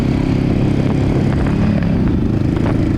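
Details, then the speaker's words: Yamaha V Star 1100 with 700 miles, recently bought: big twin runs rough under throttle, worse at low rpm, with ragged pops and stumbles, bogging; owner suspects carburetor or fueling issue, maybe fuel filter. "that's all poppy sees now that makes me feel like it's a carburetor issue it's got to be a fueling issue somewhere right"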